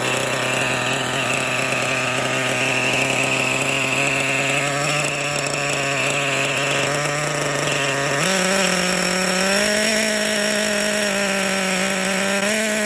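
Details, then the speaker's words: Kyosho Foxx 2.0 nitro RC car, brand-new engine being broken in, three-speed clutch: buzzy high-revving small engine with a rough gritty grind shifting as revs rise; clutch bell possibly getting crooked or bearings suspected, engine not hot. "Yeah, you can hear it. You hear that grinding noise? Weird grinding noise."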